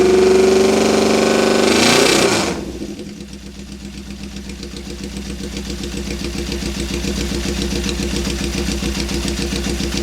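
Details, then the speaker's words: 1972 Honda CB750 K2 four-cylinder, 14,061 miles, straight pipes, suspected fuel starvation from a possibly plugged petcock screen: quick blip then even, crisp idle with no piston slap or valvetrain noise; normal idle. "motor sounds nice and tight I don't hear any piston slap or any valve train noise and nothing quite sounds like a CV 750 with straight pipes on it huh"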